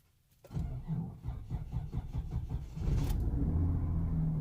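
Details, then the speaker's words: 2003 Kia Sorento with a delayed start that sometimes gets worse. The starter cranks in steady pulses for about two seconds before the engine catches and idles. Owner suspects the fuel pump after swapping its relays; crank and camshaft sensors already replaced. "that's not a very big delay but it gets worse sometimes and it's not the crank sensor it's not the camshaft sensor"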